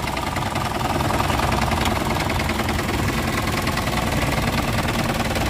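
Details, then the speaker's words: 1996 Isuzu Panther Royale 2.5 diesel idling, engine bay viewed from above, top of engine dry: steady, even light clatter with no misses or heavy knocks; engine still sounds smooth and healthy. "Nah seperti ini ya teman-teman ya. Suaranya juga masih halus."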